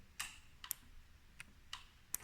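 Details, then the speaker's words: Yamaha Silverado 1700 decompressor solenoid (about 1.1 ohms) tapped directly with battery power: sharp, crisp, unevenly spaced clicks as it pulls in sluggishly; linked to a starting issue, which is being bypassed rather than replacing the decompressor. "So you can hear it kind of picking up."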